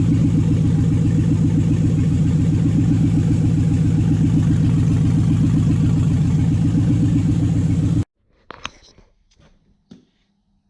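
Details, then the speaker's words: Toyota/Lexus 1UZ-FE V8 on the Spitronics ECU, first start in this setup with a barely adjusted map. Uneven, lumpy idle beat around four pulses a second on 4 cylinders, then shuts off; the owner relates it to a coil-type fault with the cylinder mix-up. "it fired up on 4 cylinders, it actually runs pretty well. So there's something up with this."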